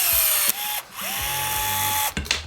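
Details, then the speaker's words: Battery rivet gun on a 1973 Airstream, tested after fixing by disassembly and fitting a battery; sharp motor whine rising and holding, snap as the rivet pops, working normally again. "boom boom boom look at that now we're back in Action"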